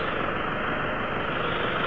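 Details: Toyota Hilux automatic diesel after a no-start was fixed at a socket connector: steady, even diesel clatter at idle with no misses, knocks or hunting; normal idle, engine running smoothly.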